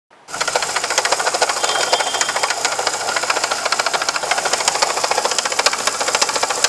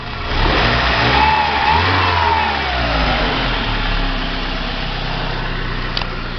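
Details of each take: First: VW Gol: fast light ticking rattle at about three or four a second over the idle, seeming like internal engine damage, but the cause is the water pump. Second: VW Gol after replacing the worn, loose water pump (164,000 on the original, units not stated): revs climb smoothly and drop back to a steady idle with no knock or rattle. The engine noise is fixed and it sounds healthy.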